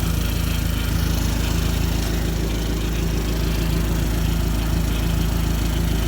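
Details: 2004 Dodge Neon SRT-4 after a crank-no-start, which was traced to a corroded terminal giving the starter low voltage and fixed with an auxiliary wire from battery to starter; smooth, steady idle at about four beats a second, no misses or knocks.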